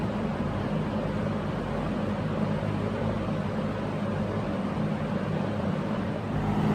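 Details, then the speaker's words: Early-1970s Electrohome 652-1 20-inch box fan, motor windings looked overheated but tested healthy, on high speed after restoration: steady even rush of air with low constant hum, no wobble or ticking; well-balanced, running fine. "and of course the incredible startup sound I've got to hear that so here it is high-speed beautiful [Music] runs great"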